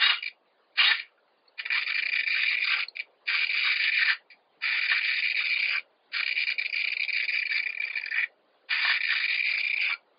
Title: Heckservo / Tail servo Savöx 1257 MG knarzt / creaking sound